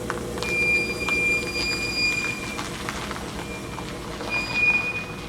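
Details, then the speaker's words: Car with new brake pads squeaking soon after fitting, braking slowly: thin, steady high-pitched squeal over low rolling noise in two stretches; brake squeal, cause unconfirmed. "Have you ever had a brand new set of brake pads start squeaking like a week after you put them on or right away? Then this is the video for you. Here's a little demonstration of what my car does currently."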